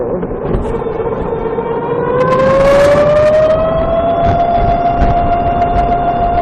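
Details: VX1 motorcycle, warmed up, climbing a small hill at lower speed under load: a thin squealing chirp rises in pitch and holds over the engine; the transmission chirp seems louder once warm and seems to start around 30 mph, cause unconfirmed.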